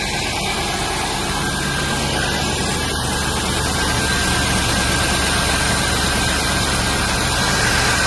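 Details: 1995 Range Rover Classic, sat over 10 years, after throttle pedal fix, engine at 6°C: steady even cold idle that lifts cleanly as revs rise, no stumble or hesitation; revving issue appears fixed.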